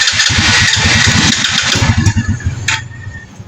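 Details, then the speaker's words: Rusi 110 motorcycle that won't stay running: uneven, stumbling putter with sharp pops, misfiring with strong backfire on start, from a broken spark through a corroded plug wire. "Palyado palyado siya pero kanina trinay ko talagang napakalakas ang kanyang backfire. So ngayon ayaw parang ayaw magtuloy ng kanyang andar."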